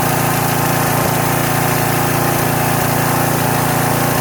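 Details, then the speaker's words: Troy-Bilt pressure washer's small single-cylinder engine on its first start after about 4–4.5 years sitting, with only gas added. It chugs at a steady fast beat, even and strong, with only an occasional faint miss. "Runs great though, first time in 4 years. Listen to that thing purr. Only a slight miss."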